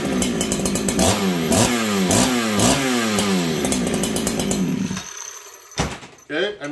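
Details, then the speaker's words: Farmertec 288 kit chainsaw with a free-breathing pipe. Sharp, fast-rising revs about twice a second before shutdown; quick, clean throttle pickup from a healthy saw. "that pipe on this saw is breathing quite nicely it's Hollow um it's a good running saw but just listen to the difference between these two saws"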